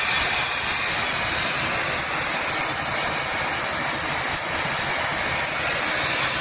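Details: SpiceJet SG475 Delhi–Srinagar aircraft cabin in flight: loud, continuous high-pitched hiss over the engine drone coming from near the front exit door, with AC not working before takeoff; cause unknown.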